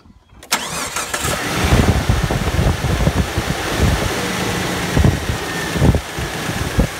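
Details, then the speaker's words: 2000 Jeep 4.0 after camshaft sensor and synchronizer replacement: the starter turns briefly, the engine catches at once and settles into a steady, even idle with no misses; normal start and idle. "alright youtubers I finally got it together thank God man it was just a bad day anyway she's sounding good now"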